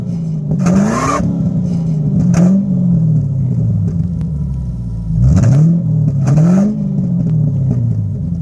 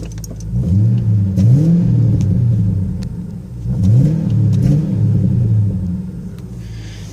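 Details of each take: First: 1994 Ford Thunderbird V8, not yet warmed up, running old gas: deep exhaust burble climbs smoothly with each throttle blip and returns to steady idle, fuel injectors a bit noisy; normal revving. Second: Cold engine with glass-pack exhaust, noisy fuel injectors, warming up: rising and falling revs with sharp pops between blips. Cold-engine exhaust backfire, expected to ease once the glass pack warms on the highway.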